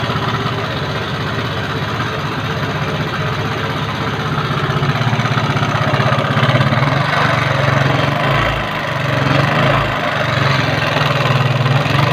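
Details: Yamaha Mio carburetor scooter with owner complaint of rough engine sound: coarse, uneven chugging about four beats a second with a harsh, gravelly edge; cause still being analysed.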